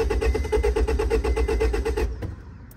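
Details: 2004 Honda Civic that won't start, clicking at the fuse box: steady starter churn about seven beats a second for two seconds, never catching, then stops; cranks without starting, suspected bad contact in a fuse-box part needing replacement, fuel also low.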